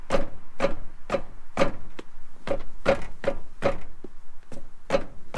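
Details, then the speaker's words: Honda Prelude jacked up in freezing weather: a dull knock about twice a second as the raised front wheel is pushed, almost like a loose wheel. The owner suspects an upper ball joint. Front suspension clunk. "that almost sounds like the wheel is loose not sure what that sound is it almost kind of sounds like the wheel is loose"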